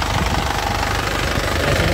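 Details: Isuzu Panther LS Turbo diesel, late 2007, about 103,000 km: steady, even diesel clatter at idle, no misses, stumbles or tapping, no oil leaks underneath; engine judged healthy. Normal idle.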